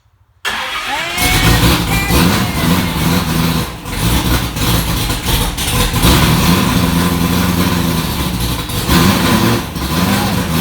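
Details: 1965 Ford Falcon race car V8, first start after rewiring: catches in about half a second and settles into a steady lumpy idle, oil pressure up, no leaks, no knocks or rattles; healthy start.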